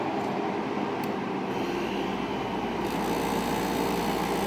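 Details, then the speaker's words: Restored 1967 Carrier Weathermaker 8700 BTU window air conditioner just after start-up: loose uneven rattling over steady hum; owner expects it to stop rattling once head pressure builds; already cooling. "So if it goes head pressure, it'll stop rattling."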